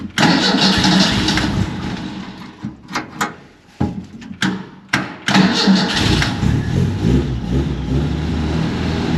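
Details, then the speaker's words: 1931 Ford Model A coupe with 2.3L four-cylinder, spring start: labored, uneven cranking that barely turns the engine before it fires; the owner suspects a broken ground cable held by a washer, as the battery worked elsewhere. "There we go, finally. This car's always turned over hardly, acting like the battery's dead."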